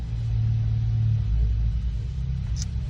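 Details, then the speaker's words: 2014 Ford Focus ST 2.0L EcoBoost, cold engine, no load at idle: low lumpy stumbling beat; cylinder 4 dropping out badly, cold-start misfire seen on Forscan power balance. "No load on it. Yes, the engine's cold, but 4 is just dropping out like crazy."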